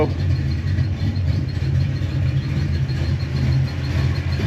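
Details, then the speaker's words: Small Block Ford Windsor V8 Fox Body Mustang after roller rocker and pushrod install, warming up: steady deep idle with a faint valvetrain chirp that is getting quieter; idle still a little high, base idle reset planned. "the chirping's kind of getting quieter, so I'm gonna let it run for a little bit."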